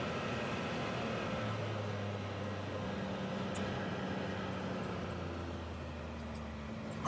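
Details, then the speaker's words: 2019 Can-Am Maverick X3 XRS Turbo R, which went into limp mode above 6000 rpm with codes P0301-P0303, after fitting a new drive belt: the engine pulls cleanly with smooth rises and falls in pitch and no stumble. Normal acceleration after repair. "all right that looks fixed super happy all it costs took was a belt goodness gracious"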